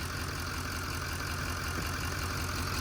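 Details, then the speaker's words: LML Duramax diesel truck idling after fuel filter housing replacement, with the owner saying it should never leak back down; steady low diesel clatter, even and settled with no hunting, sounds healthy. "So, the fuel filter housing worked. We're good. It's running. Should never leak back down. Should be great. Fine and dandy."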